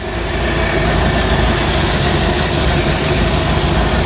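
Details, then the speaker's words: 1975 Bricklin SV-1 V8 idling with an uneven, stumbling, lumpy pulse and popping; a temp gun shows one cylinder much cooler (120° vs 300°), indicating a dead miss; cause not confirmed. "it's kind of boring it's just running runs bad but it runs"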